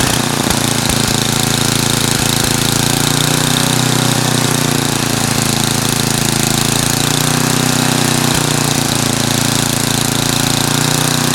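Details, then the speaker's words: Craftsman 9 hp snowblower with Tecumseh engine running with back-and-forth speed wander, then shutting off; governor surging, owner plans to replace and tighten the governor speed control spring. "so that back and forth movement is where it's surging or oscillating porpoising whatever term you want to use"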